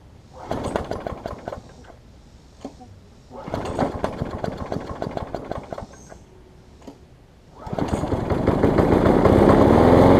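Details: Bolens mower after fitting a missing intake tube, repairing the broken starter recoil and adding fresh gas; owner feared low compression or internal damage from caked oil: two sputtering pulls, then it catches and runs strong, even and steady, no misses.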